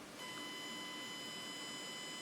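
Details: Fischertechnik robotic arm motor driven through the diagnostics interface at low speed settings: thin, steady high whine while the motor does not turn, stalled; owner considers changing the motors.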